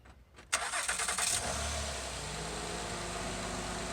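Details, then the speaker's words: Car started after its badly corroded battery terminal was cleaned with baking soda and coated with protector: a quick crank of under a second catches cleanly and settles into a steady, even idle; the starting system works normally. "I'm gonna try to install it back on here. But we'll start it up right quick, make sure it turns over."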